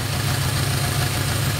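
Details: 1985 Oldsmobile Cutlass, 307 V8, initial timing set to about 12 degrees: deep even idle with steady low rumble, no misses, stumbles or knocks; running smoothly after timing adjustment.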